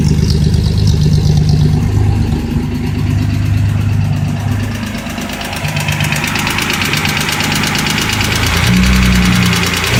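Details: Datsun 240Z engine running with an uneven tapping knock, about three a second, riding over a low rumble; bad engine noise, cause unclear.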